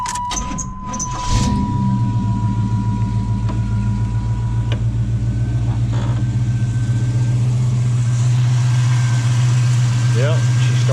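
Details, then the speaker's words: 1987 El Camino after an Edelbrock 1406 carburetor rebuild with only an initial tune, no starter fluid and no throttle: brief crank, catches at once, then a steady even low rumble with no stumble; healthy start and idle. "Didn't have to use any starter fluid. Sounds good. I was really happy with what I did."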